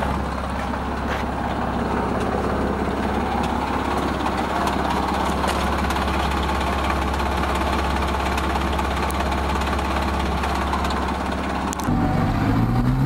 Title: 751437 PORSCHE 987 BOXSTER 2.7L 239HP CABRIO 04-05 SILVER 94139MILES RHD ENGINE PROBLEM RATTLE SOUND